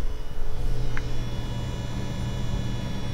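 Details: EVGA RTX 2080 Ti XC Hybrid graphics card with integrated AIO water cooler, at idle: steady low drone with faint thin tones above, no knocking; the cooler's pump hum, audible on quiet nights and compared against an air-cooled Palit 2080 Ti.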